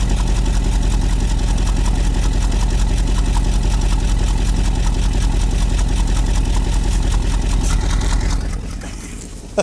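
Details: Old carbureted truck, long-sitting, on fresh gas with a working fuel pump running from the tank, key-started, mic near the exhaust: steady, even low rumble with a smooth beat; idling on its own, normal idle.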